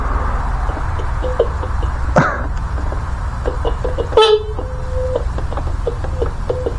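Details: 1984 Honda Spree scooter, untouched in a shed since about 1993: a few short clear mid-pitch honks, then a longer steady toot; horn works normally.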